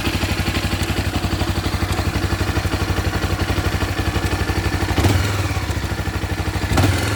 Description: minha cb 300r 2014 começou com esse barulho de corrente de comando 😥